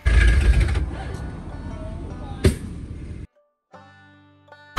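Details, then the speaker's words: Ford Power Stroke diesel truck cold-started at about -16° with no glow plugs, using ether and a hair dryer: rough uneven chugging that catches and stumbles, with a sharp loud pop; ether suspected of hurting it. "pop oh my wa dude it keeps popping it was running dude I think it's going to go"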